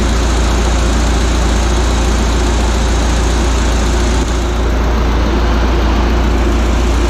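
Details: Audi A4 B6 1.8T, freshly assembled engine on its first start with a temporary intercooler fitted: deep, steady low rumble with an even beat and no knocks or rattles; normal, smooth idle.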